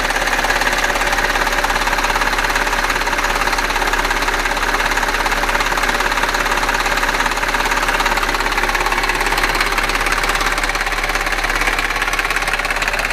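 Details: Audi A6 4F 3.2 FSI quattro, running engine: steady, fairly even clacking at about two and a half per second, with a nailing, clattering sound. Engine ticking whose cause is not pinned down.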